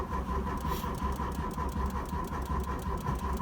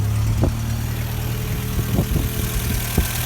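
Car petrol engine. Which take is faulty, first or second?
first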